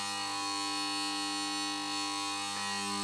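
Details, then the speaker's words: Magnetic ballast in a Mazda Esthelux 400 luminaire with a worn, blackened BF 250 lamp: loud, steady buzzing hum with a harsh edge and no rhythm during warm-up; noise quiets almost completely once the lamp reaches full output. "Donc ça fait quand même vachement beaucoup de bruit. Mais dès que la lampe elle est à fond, ça se calme et on n'entend quasiment plus rien."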